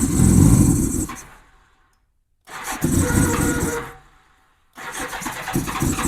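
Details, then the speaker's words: 1987 Honda GL1200 Goldwing, first start attempt after many years with a new 24 Ah battery; cold engine in cold weather, choke lever not working. The starter churns in three steady bursts with pauses and never fires while cranking to fill the carb bowls. "Going to take a little bit to get some fuel in them carb bowls probably."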